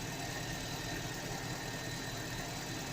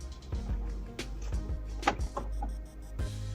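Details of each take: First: Car engine at idle after silicone grease applied to inner and outer surfaces of squealing alternator/accessory ribbed belt in cold weather; steady even hum, no squeal or chirp; belt now quiet. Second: Engine cranks and fires with a sharp, high drive belt squeal as it catches, then runs steadily; squeal at start happens in sub-zero cold when the belt rubber hardens and slips on the pulleys.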